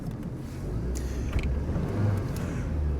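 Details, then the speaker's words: 1986 Saab 900 8-valve K-Jet driving after fixing a plugged injector: even, steady drone at light throttle with road noise, no stumble or hesitation; previous idle-to-throttle stutter gone, running smoothly. "Oh my god. completely smooth. No stuttering whatsoever. No stuttering whatsoever."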